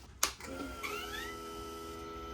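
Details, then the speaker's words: Honda Rebel 300 after repairing the corroded fuel pump and charging the battery: at key-on a thin electric whine rises, holds about 1.5 seconds and stops, normal fuel pump priming. "See, now that sounds like a fuel pump."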